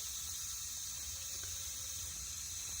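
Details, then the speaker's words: Mercedes MB100, OM616 diesel, smoking heavily, during cylinder leak-down test in neutral: steady airy hiss as air escapes past the prechamber, not the valves; about 10-15% leakage, prechambers to be removed. "bien évidemment je suis au point mort au champ bascule à chaque fois que je fais le test ci n'ont l'air de sortir bas par les soupapes"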